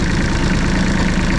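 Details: Bomag BMP8500 diesel roller, cold-natured engine: slow, heavy, lumpy idle barely holding on and close to stalling; when cool the idle is set too low and it dies, so the throttle solenoid linkage is to be adjusted for slightly more rpm.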